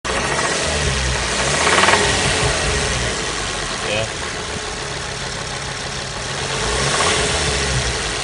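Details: Ford Focus ST225 with full service history and oil present: on cold start a chain-type metallic chattering rattle that fades once revs settle, returning and swelling when revved; owner has heard it may be oil starvation, cause unconfirmed.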